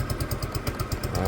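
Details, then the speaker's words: Peugeot Tweet scooter, single-cylinder engine, after new ignition fitted: slow, slightly loping putter at roughly eight beats a second; idle set a bit low and needs raising. "idle's a bit low I'm going to have to lift the idle it's"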